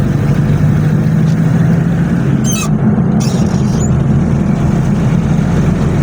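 A deep, steady diesel rumble with an even clatter underneath as it pulls under load; a normal, healthy diesel.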